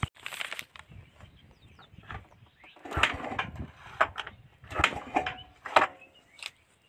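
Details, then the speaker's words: TVS Ntorq Race Edition BS6 scooter on cold morning kick start: several kick strokes with mechanical clatter, each dying away without the engine catching; won't start on the kick. "हम सुबह उठ के जब इसका kick start करते हैं तो kick से स्टार्ट नहीं लेते हैं।"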